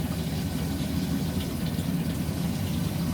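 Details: Baxi Combi 133 HE Plus boiler after replacing diverter valve and actuator motor, running hot water: steady low burner roar, gentle water flow, no banging or kettling; heating flow pipe now stays cold as it should, repair successful.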